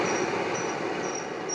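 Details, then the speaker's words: Propane forge gas burner lit at the air holes or at too low pressure, possibly low tank pressure; it needs an adjustable 0–20 psi regulator. Steady roaring hiss with faint intermittent high whistles. The flame burns at the air holes, not the burner end. "see those flames with the air hole that's what I'm going to try to simulate when I restart this"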